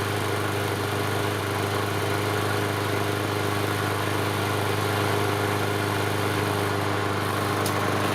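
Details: Yard Machine 6 HP 21-inch lawn mower that sat over a year and wouldn't start, after repair: small single-cylinder engine holding a smooth even drone, no misses, knocks or surging; running properly.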